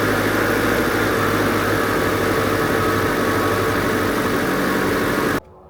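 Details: Classic Renault R16 after a bottom-end repair for low oil pressure and knocking, with the oil pump primed: even, steady idle hum with a constant low beat, no puffing or ticking, then cut off; healthy idle.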